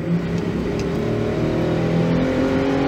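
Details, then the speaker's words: 2011 Ford Edge 3.5L V6 with flashing check engine light, hesitation and low power, on a test drive: the engine pulls with a rising drone that stumbles roughly under throttle instead of climbing smoothly; ignition system misfire under load. "so I'm just going to stop this capture at this point without a doubt guys I have evidence that this is an ignition system problem"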